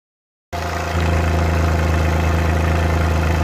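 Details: Suzuki Multicab F6A engine at idle: uneven, stumbling beat with irregular "tak...takatak...tak" stutters breaking the rhythm, a random misfire.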